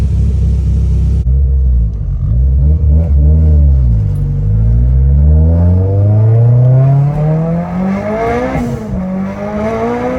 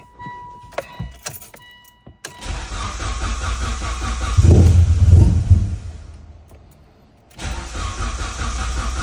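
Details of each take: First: E85 turbo car after the tune was adjusted for a slightly lean idle and a fuel line leak that had made it run rich: even idle that climbs cleanly in pitch on throttle and settles back, no misfire or knock; normal idle and revs. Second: E85 car after a fuel pressure regulator failure, with new fuel and the old fuel drained: three long bursts of steady cranking, never catching; crank-no-start, later traced to an unseated MAP sensor.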